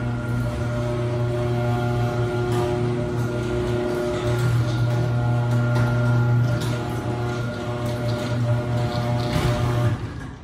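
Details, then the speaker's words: LiftMaster garage door opener opening/closing: heavy low buzz and vibration from the motor, installation appears fine, cause unknown; a neighbor's good motor is far quieter. "so I have this Liftmaster garage door opener and it is making a lot of buzzing noise vibrating noise when it opens and closes"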